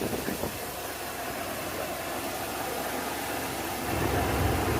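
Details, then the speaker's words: 1992 Ford Bronco 5.0 302 V8 after replacing failed harmonic balancer that caused idle shaking, plus new water pump: steady, even idle with no stumble, shake or hesitation, quiet smooth beat; healthy. "nice and smooth smooth as a baby's rear end look at that no shaking no hesitation smooth idle everything's nice and lined up"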